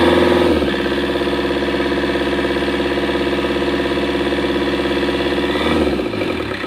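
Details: Komatsu diesel engine, hard starting and losing compression; idles with an uneven, lumpy pulse about three or four beats a second and a faint rattle; rough idle from low compression.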